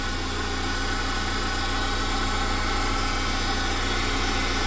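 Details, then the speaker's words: Engine just reassembled, cooling system being burped, engine light on, temperature at about a third: steady low idle at about 500 rpm with a faint uneven pulse. Lower than normal and less responsive; cause not found. "The idle's sitting at 500, not even 1,000. It's like really idled low. It's a bit lower than it normally sits."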